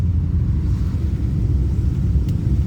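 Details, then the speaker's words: Rover P5B coupe, 3.5 V8, before restoration, driving on a wet day: deep, even V8 rumble and steady low burble with no knocks or misses; engine running smoothly and healthy. "Did you hear that V8? Isn't it lovely?"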